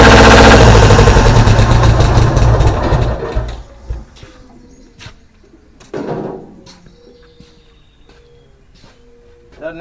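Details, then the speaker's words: Deutz 1011 two-cylinder diesel driving an air compressor: loud, uneven clatter about three and a half beats a second, then shutdown with only clanks; running rough, owner suspects a sticking valve, not confirmed. "something is absolutely Haywire"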